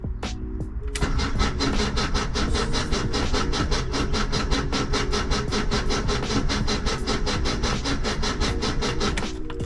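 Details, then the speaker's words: 1978 VW Type II Bus, sat 20+ years, rebuilt engine just reinstalled: starter cranks at about four even beats a second with no firing, oil pressure light staying red; cranking without fuel to build oil pressure, no start. "But this thing really hasn't been turned over like that. So, it might just take a minute to build pressure."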